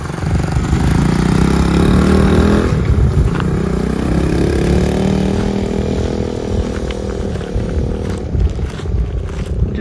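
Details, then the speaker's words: 1969 Honda CT90 Trail small single, running after sitting 10+ years, with freshened cables and new oil: pulls smoothly up through the revs, eases back and keeps running evenly without misses. "like that fires up goes down the road"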